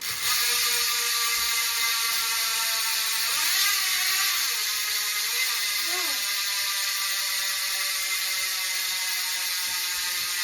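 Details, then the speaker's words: Charge Iron steel dirt jump bike with AirBike wheels, rear wheel spun after the build: fast, crisp, even ratchet buzz from the freehub with music behind; the freehub is working normally. "now it's built out let's see how good this free hub really sounds"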